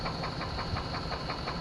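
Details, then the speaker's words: 1998 Chevy Suburban that sat 8 years: a hard, steady knock about eight per second at idle with a hiss behind it. Owner suspects bearings and considers an engine swap. Engine knock. "listen to this engine it's not good"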